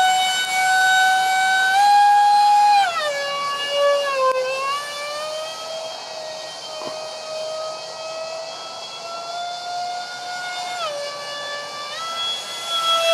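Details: Su-35 EDF jet with 5-blade rotors and 2600kv motors on 6S: shrill whine stepping with throttle and a harsh edge, from vibration of cheap loose fan shaft adapters and detached mounting pads.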